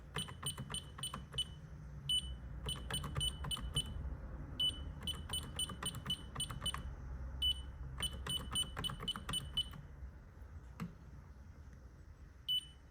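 Clusters of quick high chirps in irregular bursts over a low room hum, the keypads beeping normally as the system starts up.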